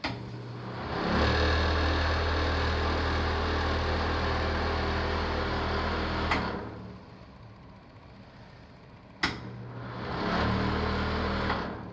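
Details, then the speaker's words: Bathroom exhaust fan in the primary bedroom suite of a new-construction Dallas townhome: steady low droning hum with a rough edge that stops for a few seconds and returns the same; the fan does not sound right, cause unclear. "huh sounds kind of funky to me this fan"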